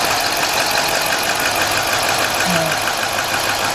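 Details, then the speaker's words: Chrysler/Dodge/Jeep engine with code P0305 cylinder 5 misfire, idling with a coil unplugged that made no difference: uneven lumpy idle with irregular stumbles; cylinder misfire rough idle, dead cylinder. "Unplug it again. Okay, it does not make a difference at all."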